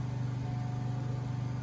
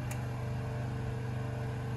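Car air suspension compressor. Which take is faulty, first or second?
second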